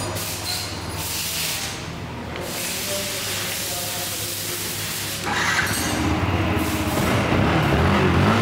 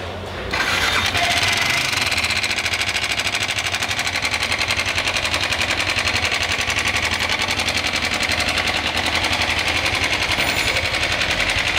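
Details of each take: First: Yamaha R15 idling after timing chain and other parts were replaced, cylinder kit with about 50 km on it; steady, even idle with a smooth low hum and no ticking or rattle from the top end; normal idle. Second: Yamaha R15 engine with a cylinder kit installed only 50 km earlier; fast, light metallic clatter at about four ticks a second over the idle; timing chain rattle from a slack chain.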